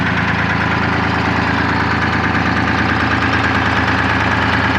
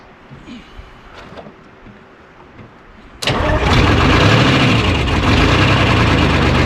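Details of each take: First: 1975 International Loadstar 1850 with Detroit 6V53 two-stroke diesel, just revived after loose fuel lines and empty tank, idling: steady even idle, regular beat about three per second, no misses; earlier smoke clearing, runs better the more it runs. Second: 1975 International Loadstar 1850, Detroit 6V53 two-stroke diesel, first start after fuel-line work, idle set high, no coolant in it: quiet, then catches into loud lumpy idle with uneven beat about three per second, heavy miss; owner suspects air in fuel or real issue; oil pressure about 65 psi.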